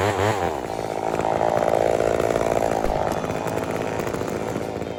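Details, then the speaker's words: Homelite Super XL 923 82cc chainsaw with compression release, after tuning tweaks, final test cut: screams up then pulls a strong steady note through the cut without bogging; running perfectly. "The 923 is running perfectly right now. I am not having any issues."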